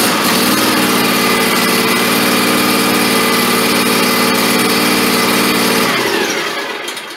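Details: SCAG 36" walk-behind mower with Kawasaki FS481V engine at its 10-hour service, already warm from earlier cranking, unchoked at very little throttle: runs smooth and even with a steady buzzing pitch, then dies away; healthy idle.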